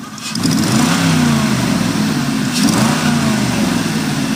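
V8 blips from idle with a fast puffing tick that rises with revs and a faint whine underneath, suggesting an exhaust leak and a whining water pump. Cause suspected, not confirmed.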